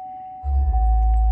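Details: Chevy Traverse after fixing water-corroded connectors that had killed radio, blinkers and chime: clear, steady mid-pitched chime with a handling thump behind it; warning chime now working normally.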